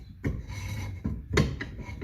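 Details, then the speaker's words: Orange MK1 Ford Escort panel van, brakes revived after 30 years: drum turned by hand after backing off the adjuster gives a soft repeated scraping rub, the shoes lightly kissing the drum; normal freshly adjusted brake. "I can feel it making ever so slight contact. I can hear it making slight contact, but only a little bit."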